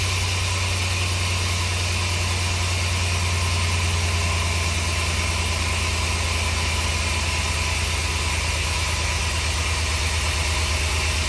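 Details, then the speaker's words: Chevy 4.3L V6 swapped into a 1964 Willys CJ5 Jeep, first start after redo, distributor possibly moving: idle pulsing with hesitation, missing on one cylinder, owner suspects number one; misfire at idle. "Uh, but it's missing. It's missing. Which cylinder is it missing on?"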